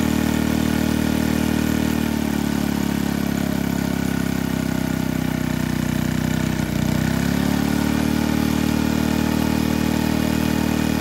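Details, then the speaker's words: Barn-fresh 1951 Briggs & Stratton 6B-SF single-cylinder, rated 3600 rpm, running with air cleaner on: steady busy drone with a brief dip then recovery; no tachometer, owner thinks it runs a little fast. "took her a little while to wake up but when she did she's running pretty good well i don't have a tachometer to check the rpms but it sounds to me like it's running a little fast"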